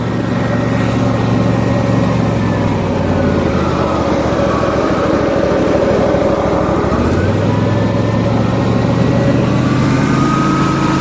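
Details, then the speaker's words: John Deere LA150 lawn tractor, nearly 300 hours, mower deck engaged with Gator mulching blades and two replaced spindles: steady engine drone with loud whooshing deck hum, no knocks or rubbing; naturally loud from suction, normal mower deck running. "it's a little loud cuz it's got the Gator blades on it which are most blades and they have they create a lot of suction so the deck's just naturally"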